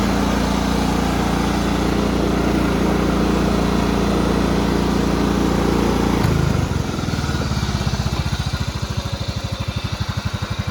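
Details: Repaired Cub Cadet riding mower, 16 hp horizontal-shaft Kohler, after deck adjustment, already mowed fine: smooth steady run at speed, then drops to a slow, even idle of about three beats a second with no misses. Healthy.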